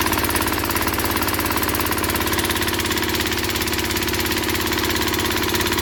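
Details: Log splitter engine that stalled under hydraulic pressure, after opening the valve underneath to two full turns out: rapid strained thumps about three a second, bogging under load without stalling. Still struggles; carburetor cleaning planned next.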